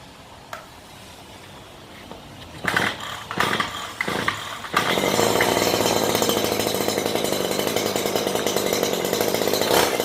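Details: Stihl HL94K hedge trimmer started after spraying and cleaning the blades: a few starting pulls, then a steady even buzz with no chatter from the gearbox or blades; normal running.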